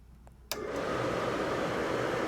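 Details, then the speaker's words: RV forced-air furnace turned on during sail switch troubleshooting: the blower kicks on and spins up to a smooth, steady whoosh with no rattle, and its airflow lifts the sail switch closed, signalling it is safe to light; normal. "So, you saw there once the fan came on, that switch went up and closed the circuit in here."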